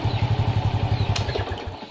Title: Honda XRM125 Hard Starting